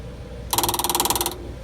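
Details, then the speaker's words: Onan Marquis Gold 5500 RV generator that kept stalling, after fuel pump replacement: the master battery is switched on and the pump primes with a quick burst of fast, even ticking under a second, then stops, normal priming. "okay that actually was the fuel pump you probably heard it so it sounds like it is stopped now"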